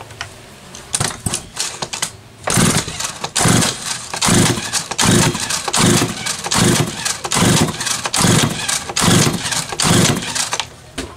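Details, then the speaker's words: Homelite 330 chainsaw that a shop called low on compression and possibly needing bearings, pulled over during a compression test reading about 135 psi: firm, even chuffing cord strokes about once a second without firing; healthy compression. "that looks more like 135 psi than 100 psi to me just saying"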